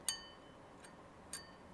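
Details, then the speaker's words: Old IBM hard drive in a vintage computer. Two sharp, tinny plinks about a second apart as the platter is turned by hand. The heads are catching on the platter, whose coating is scratched; the drive is ruined. "as I'm turning. That's the heads sort of plinking."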